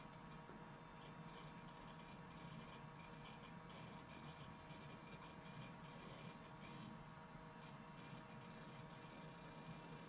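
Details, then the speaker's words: Normal-sounding Western Digital hard drive, likely a replacement, in a Packard Bell Legend 3550 PC: a quiet, steady spin-up whir and hum with light occasional seek ticks and no grinding, better than the seller claimed. "hard drive doesn't sound as bad as the seller said it was"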